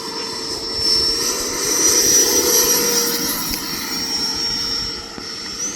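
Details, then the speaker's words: E-flite F-16 RC jet converted from an 80mm to a 90mm ducted fan, which runs at lower RPM than the 80mm: steady high fan whine with strong rushing airflow, smooth through a part-throttle takeoff; healthy running. "It doesn't sound right because the RPM's less than the 80, but performance wise I think it is actually a little faster, a little more vertical."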